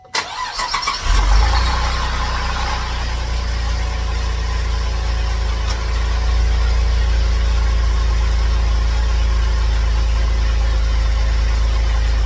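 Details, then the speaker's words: Old Cadillac CTS started after being put back together: brief crank then even steady idle, earlier grinding noise gone, charging 14 volts; normal idle. "okay not making that grinding noise anymore"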